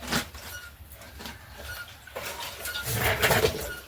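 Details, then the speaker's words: Suzuki SP125 enduro motorcycle being revived: irregular chirpy squeaks, roughly three a second, as the bike is pumped; the rear shocks squeal on compression, cause unclear. "I think you can hear that. We're going to have to mess with the shocks a little bit maybe. Or I might just ignore that. I don't know. But something's up with the shocks."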